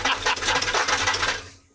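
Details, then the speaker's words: Old square-body truck with 350, untouched for a year: fast metallic clatter over the running engine, fading at shutdown; owner suspects torque converter or flexplate, never investigated. "it's old it's got a little rattle we don't know what we never investigated in the um like five wheel torque converter or something like that"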